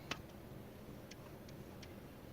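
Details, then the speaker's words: VW Passat B5+ Valeo alternator turned by hand after brush replacement: sharp, irregular light clicks from one loose brush catching a damaged slip ring; expected to bed in and stop clicking once graphite dust settles. "так как кольцо имеет повреждение, вот, и из-за этого щетка вот эта щелкает, издает звук."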